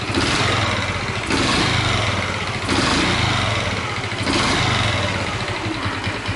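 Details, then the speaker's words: Honda Chaly at idle after engine reassembly: loose, uneven metallic rattle swelling and fading, owner suspects two sources, cylinder head and possibly inside crankcase; cam chain tensioner to be checked, cause unconfirmed. "I wonder if there's a rattling sound and the sound is coming from two places? I think it's the cylinder head! I wonder if it's also noise inside the crankcase?"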